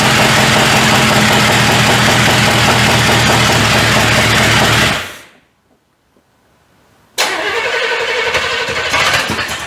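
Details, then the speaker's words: 1985 Chevrolet C30 after diesel-to-gasoline engine swap, first start with junk carburetor: rough, lumpy running with uneven beat, cutout and ragged restart, heavy diesel-smelling smoke; sounds like firing on about 3 cylinders, firing order suspected. "I ain't sure what's going on right here. Let me check the firing order. It sounds like it's hitting on about 3 cylinders."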